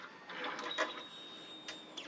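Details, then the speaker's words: Harley Dyna after fixing a fuel leak that nearly stalled it hot, power cycled repeatedly to prime: faint steady high whine of about two seconds in a quiet room; normal fuel pump priming. "I don't know if you can hear that fuel pump but we're going to do it a few times and try to get that moving probably have to cycle the power completely"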